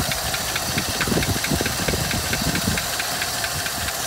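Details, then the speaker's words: 1956 Buick Century with original paint that has probably sat for years, idling after restart: light, quick ticking over an uneven idle, suspected to be one lifter not pumped up; left running to see if the tick goes away. "it definitely sounds like it's got one lifter that's not pumped up"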